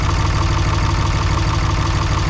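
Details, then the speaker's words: 3rd-gen diesel with new BD Diesel 90 hp injectors, overfueling at idle: steady low chug with a rough, uneven knock; diesel coming out the exhaust pipe. Owner fears cylinder washout; exhaust port temperatures didn't isolate an injector. "I'm gonna wash out a cylinder. I got diesel fuel coming out my exhaust pipe right now."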